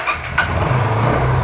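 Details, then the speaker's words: TVS Apache RTR after a carburettor pickup and winter starting fix with a spring refitted, tank not yet fitted, running on carburettor fuel: short crank catches at once, settling into a steady, even low idle; clean start. "দেখো পিকাপও কিন্তু disturb করে না দেখো pickup সুন্দর দিচ্ছে"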